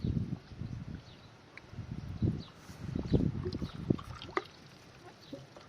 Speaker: शेतातून पाणी घरी येत आहे. पाण्याचा आवाज ऐका. आहे पाणी आलं.